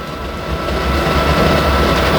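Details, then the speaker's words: Generic pressure washer boiler with the fuel solenoid cable pulled off: steady blower rush with a faint constant tone and no burner roar. Fan and spark transformer run but no fuel reaches the burner; flame failure expected, needing reset. "so there's now no fuel going in it should come up flame failure it will knock everything off and we'll have to press the reset button"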